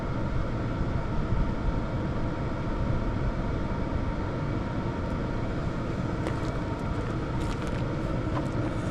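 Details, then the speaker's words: Hcalory TB Max diesel air heater running, outlet about 220°F: steady even low roar of fan and burner, no surging or knocking; quiet; normal running. "This thing is actually pretty darn quiet um for what it's doing."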